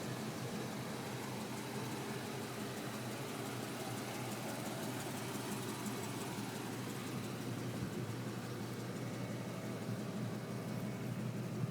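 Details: 1999 Ford F-150 pickup, walkaround at idle: uneven puffing tick, about three a second, from an exhaust leak.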